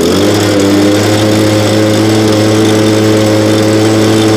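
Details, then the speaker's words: Nearly new blower, bought last year and hardly used, cold start around 30°F after 5 months stored on ethanol-free fuel without stabilizer, primed three times: clean steady two-stroke idle at one even pitch, smoother than the old BG86, with strong throttle response; normal idle. "so idle's way better than the old bg86 that we have again it is you know fairly new so i'll give it to the condition that it's in of starting and idling a lot smoother and throttle response is definitely incredible"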